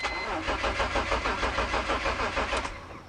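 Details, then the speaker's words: 2004 BMW E46 325Ci crank-no-start: starter turns about three pulses a second but the engine never fires and winds down; no spark heard, pointing to the ignition system; next step checking fuses. "Okay, I did not hear a spark. You can usually hear it. So our issue is with the ignition system."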